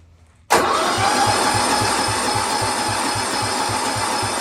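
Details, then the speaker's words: 1972 John Deere 110 with 8 hp Kohler, no spark seen, given ether and throttle: starter churns with even compression pulses about five a second, never catches; cranks but won't start, cause not confirmed. "sounds like it's got compressions so let's see what happens with a little ether a little throttle"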